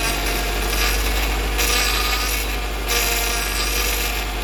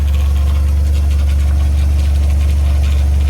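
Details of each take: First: Honda Accord CB9 with H22 Prelude engine swap, running while steering left and right: harsh rasping groan that swells and eases with each sweep; power steering pump starved by a constriction in the power steering hose. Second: H22 Prelude engine swapped into a 1990–93 Honda Accord, warm with temperature just below half, idling steady at 800–900 rpm after throttle cable reset, down from 1100–1300 rpm bounce; slight power steering pump noise.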